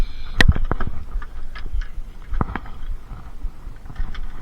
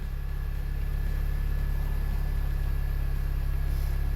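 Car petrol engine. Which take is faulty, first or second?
second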